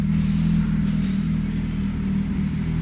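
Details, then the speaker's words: Honda Civic Type R FN2 with Japspeed decat manifold and Tegiwa 70mm cat-back (section extended to stop knocking), heard from outside: deep steady low burble at idle, even pulse, no knocks or rattles; normal idle. "so there she is running not too intrusive i'll tick over hurried away like a little kitten"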